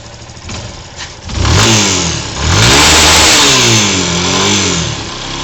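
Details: 2007 Yamaha YS250 Fazer engine noise that started after switching to Petrobras Podium fuel; sometimes present even when cold and ridden gently, always on a harder rev in any gear; tensioner already replaced without fixing it. Single revs with a rough mechanical rattle; cause unknown.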